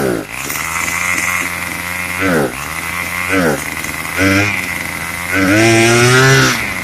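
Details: Craftsman 25cc two-stroke string trimmer, found roadside and would only fire on starter fluid, after a carburetor tune: idles evenly, then takes quick throttle blips and one longer rev, picking up cleanly without bogging.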